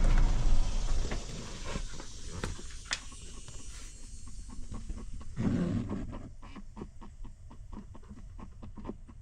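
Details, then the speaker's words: 2019 Ford Ranger (5th gen) Lariat FX4: after the climate control is shut off, rapid, slightly uneven light ticking (two to three per second) comes from behind the dash near the glove box. Possibly a blend door actuator; suspected, not confirmed. "So, another issue is for whatever reason you get some noise behind the dash. Kind of sounds like it's coming from the glove box area."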